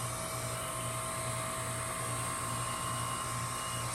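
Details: 2015 Lennox Merit Series 2.5-ton heat pump running in heat mode, not in defrost: steady electric hum with soft even pulse, compressor running normally.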